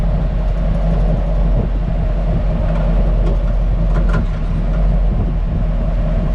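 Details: Hummer H2 at 10–20 km/h, not hard suspension movement: occasional sharp clatters over road rumble from the rear/cargo area; replaced springs, shocks, spring seats, sway-bar links and bushings with no effect; rear suspension rattle, cause unknown.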